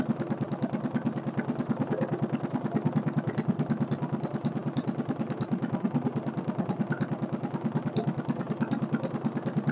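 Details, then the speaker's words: Stationary Kohler K301 single-cylinder engine, a free parts engine, first start with chainsaw gas mix added for lube, idle speed needing adjustment, not bolted down well: even, steady beat about three firings a second, no apparent knock; runs healthy. "motor sounds good can't tell if there's a bad knock there or not doesn't sound like it"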